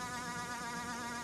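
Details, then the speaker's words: Brushless E-Revo RC truck: the ESC cooling fan is still screaming, a thin constant high-pitched whine with a slight waver and no engine underneath. Squealing fan persists; owner is asking for fixes. "As you can hear, my fan is still screaming away."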